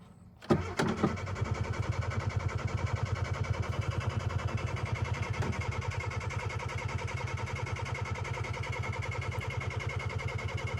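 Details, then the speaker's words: 1988 Suzuki Samurai, lifted, fuel gauge empty, cranked with starting fluid; starter turns steadily about three and a half beats per second for ten seconds without catching; cranks but won't start, fuel supply suspected. "all right so it wants to start but it doesn't and the fuel gauge says empty"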